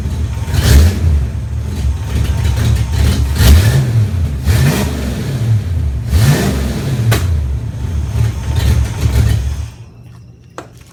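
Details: 1994 GT petrol engine revved repeatedly with an exhaust leak: a raspy, puffing edge on each rise in revs.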